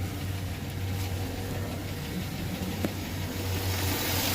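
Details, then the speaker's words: 2009 Chevy Silverado 5.3 LS V8, previously rebuilt engine: light, quick ticking over a steady idle on the driver's side. Suspected noisy lifter (hoping not DOD); head to be removed to replace the lifters. "if you guys can hear that sticking sound in here so it's on this side"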